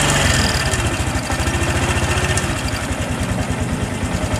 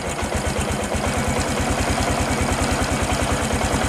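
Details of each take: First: Honda Supra X 125 PGM-FI, battery at 11.5 V, many parts already replaced: heavy uneven idle near three beats a second that never picks up, fading and dying; low battery voltage first suspected, actual fault is ignition switch wiring. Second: Honda Supra X 125 PGM-FI with ignition-switch fault, running on new regulator, idle raised, throttle not held: steady even low thump, no knocks or misses; running normally.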